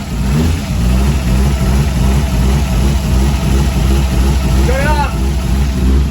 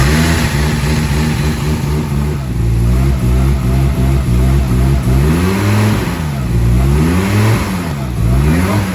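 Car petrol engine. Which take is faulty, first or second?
first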